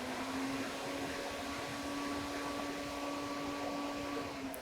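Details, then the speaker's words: MG ZS radiator cooling fan forced to full (second) speed via diagnostic tool activation with battery support connected: steady even airflow rush and low hum, no rattle or wobble; ECM drives both fan speeds, so overheating is not a fan fault. "so that tells me that the engine control module is perfectly capable of supporting both fan speeds. So clearly it's not a fan issue if the engine was overheating."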